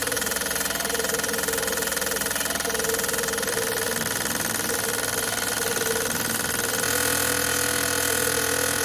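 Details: Fuel injectors for the LS1 V8 in a Mazda MX5 NC build on a bench test during misfire diagnosis: steady even rapid clicking about three a second with no skips; normal injector operation.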